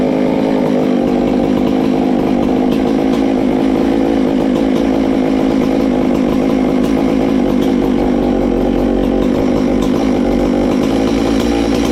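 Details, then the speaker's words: Ported Farmertec MS660 two-stroke chainsaw, 22 degrees blowdown, extra muffler cover port added, tuned with tach: hard steady scream at full throttle, no sag or misfire, much louder, over 15 thousand rpm. "wow it's got a lot louder hopefully we've done something"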